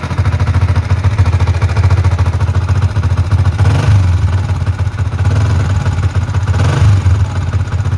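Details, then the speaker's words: Yamaha Vixion NVL, kick-started because the starter failed: fast, light metallic ticking from the cylinder head at idle. It is suspected to be loose valve clearance rather than seals. Valve train tapping from oil starvation. "Oke jadi suaranya itu suara ngeceknya itu kemleeteknya itu di kalau saya dengarkan ini tadi suara dari head dari silinder head ya dari kop"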